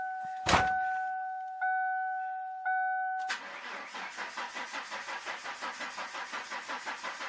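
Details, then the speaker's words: 1996 Ford Mustang, first start after winter storage (antifreeze found in oil): three dash chimes, then steady starter cranking without firing to prime oil, pressure gauge rising; cranking without starting to build oil pressure. "see both pressure goes right up that means they got all got oil pressure in the pump"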